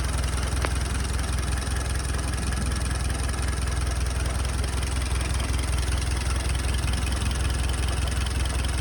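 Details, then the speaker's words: Jeep engine with transmission in neutral, idling: low, loping beat around two and a half pulses a second, slightly uneven; rough idle, owner suspects it needs carburetor adjustment. "My hunch is she does need a carburetor adjustment, but I'm gonna let it idle."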